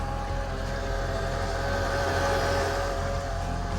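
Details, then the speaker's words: Worn ABC (Active Body Control) hydraulic suspension pump on a 2006 Mercedes SL55, idling: steady mid-pitched whine; still holding pressure but probably failing, before conversion to coilovers. "Yeah, that's the ABC pump. Usually that indicates that there is an issue. Uh it is still holding pressure, but it's probably going out."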